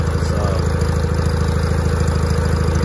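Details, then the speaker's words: 1980 John Deere 317 garden tractor, start after an electrical fault repair with new ignition components: steady, even low putter at about 200 beats a minute with no misses or knocks. It idles smoothly and runs really well. "you can just see what i mean about how easy it starts up i mean i run really good"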